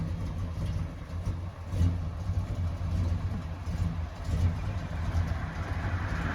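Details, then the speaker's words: 1978 Chevy 454 V8 camper RV: low rumble surging and stumbling unevenly under load, misfiring, black smoke everywhere, trying to die when put into gear; choke hanging up suspected, cause unconfirmed. "all righty guys listen what the Big Kahuna is doing it doesn't sound good at all black smoke everywhere it's trying to die and it does it when you put it into gear"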